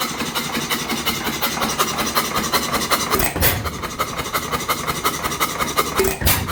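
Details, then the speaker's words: 100+ year old single-cylinder hit-and-miss oil-field engine, abandoned for years, fully torn down and rebuilt: steady chuffing firing pulses about three a second with occasional skipped beats; normal hit-and-miss running. "say thank you you hear that she's running I figured you'd see enough videos of me starting it uh this is how I'd share this thing uh going at it"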